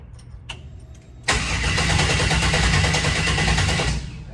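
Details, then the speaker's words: 1967 Chevrolet C10 after a transmission swap, Holley Terminator X EFI, fuel pump running: about three seconds of steady cranking at roughly 3.5 beats per second with no catch. It won't fire; the owner suspects no spark. Loose battery connections were found later. "well I don't see anything out of the ordinary here doesn't want to fire fuel pumps running"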